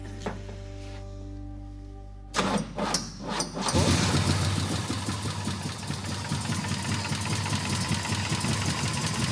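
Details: Oldsmobile Cutlass after replacing a failed distributor with another unit and setting timing. Cranks briefly, catches and settles into a steady, even, strong low-rumble idle. Starts and runs cleanly.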